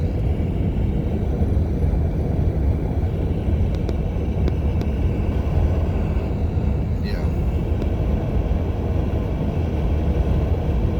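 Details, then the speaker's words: Brand-new 2020 Toyota Highlander Platinum at 2,286 miles, driving at 75 mph: a steady, heavy rushing roar over the road rumble, from wind at both front windows, especially the driver's side. Wind noise at highway speed. "uh right now i'm going to speed limit which is 75 miles per hour and the wind noise is pretty bad"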